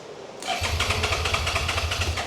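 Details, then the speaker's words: 2011 Suzuki SFV650 Gladius twin on a jump pack, tried with throttle: starter spins it at a brisk steady beat with no firing at all, and it still won't start with a connector plugged in; the tip-over sensor is suspected. "That is the sound that it makes. And now it stopped making the sound but plugged in. No start."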